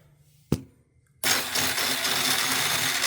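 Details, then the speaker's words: 2000 Honda Rancher ATV that sat outside: click, then thin high whirring spin with no compression beats; starter gear turns but flywheel doesn't, indicating a bad starter one-way bearing. "but the flywheel is not. So that right there is a good inclination that that one-way bearing is bad."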